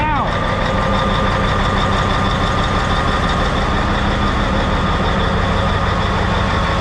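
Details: Rebuilt Cat 3412 diesel in a 773B mining water truck, restarted after install: brief spin-up then steady, even deep idle with no knocks or misses; engine sounds healthy, oil pressure being checked.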